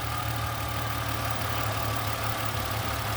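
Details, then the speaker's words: 2007 Mustang idling down after an oil change: steady low idle with a faint, light lifter rattle riding over it, settling as oil pressure builds. "hear how the car is idled down you can still hear a little bit of the lips rattling"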